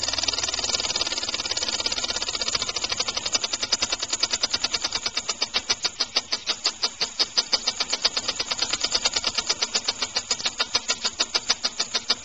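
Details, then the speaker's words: Homemade rotary-valve compressed air engine, timing retarded and flywheel balanced, run at about 25 psi maximum: crisp, even exhaust puffs speeding up then settling into a slow, regular beat; normal running. "That's good. Nice and slow. I like that."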